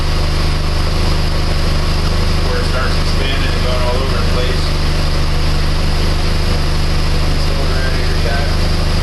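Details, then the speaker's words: Used-head-swapped Chrysler PT Cruiser 2.4 (earlier misfire at idle), warm at operating temperature after 15–20 minutes with fans on: smooth, even idle with steady rhythm, no whine, ticking or missing; engine runs healthy after cylinder head replacement. "okay it's been running for a good 15 20 minutes everything's nice and smooth you see everything sounds good there's no winding no missing everything's nice and smooth"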